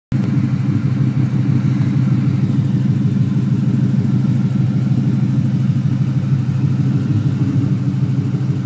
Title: Dang exhaust leak/problems